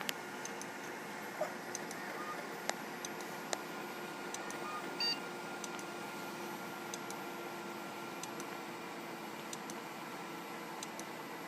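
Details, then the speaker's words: Seagate hard drive in an iMac: quiet steady whir broken by faint ticks and a few sharp clicks, the classic click of death from mechanical failure. "so this drive is dead flat out dead yeah that uh that sea gate drives you into classic skeet skeet skeet skeet ski click of death you know that sound"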